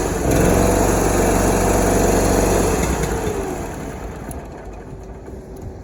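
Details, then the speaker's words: Mower twin-cylinder engine running on only one cylinder, with no mid-range and no idle: loud, lumpy, uneven thumping at high speed that sags and fades. "The main issue that it's in here for is for, you know, a bad running engine. Listen to this. It's only running on one cylinder."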